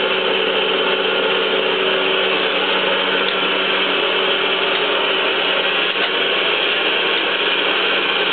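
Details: Smooth, even whirr from the hydraulic table traverse of a 3B71M surface grinder after the hydraulic cylinder repair, with the bent rod replaced; it now runs smoothly, including at low speed, with no oil leaks.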